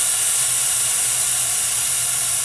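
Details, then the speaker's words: Oilless compressor during maintenance, built up to 200 and then bleeding off: a strong, steady airy hiss at cutoff that gradually weakens, as it should. Normal purge valve exhaust. "now you hear the purge gradually dissipate gradually get weaker and weaker weaker which is exactly what you want"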